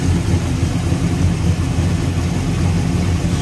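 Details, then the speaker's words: 1957 Chevrolet Sedan Delivery street rod carbureted V8 with headers, hood open: deep, even idle, steady low rumble through the headers, no misses or knocks; healthy. "like i said definitely healthy sounding engine that headers on"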